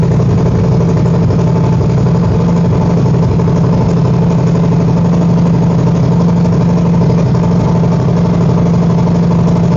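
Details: 2021 Harley-Davidson Road Glide after installing and fully charging a new NOCO NLP30 lithium battery: loud, steady V-twin idle with an even low throb, no misses or clatter; normal idle, volts good, though a check engine light shows.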